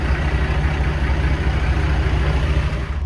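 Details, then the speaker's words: Big diesel truck idling just after new parts were fitted and the fuel pump primed, following fuel issues that made it shut off on the freeway: steady, even low rumble with no knocks, misses or surging; running really good. "all right so far we're in business so it's running really good"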